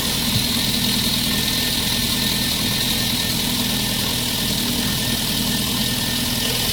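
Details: Lada 1.6 8-valve 11183 engine after replacing the pistons to cure engine knock: even, steady idle with no tapping or knocking, just a smooth hum and a little hiss; sounds healthy.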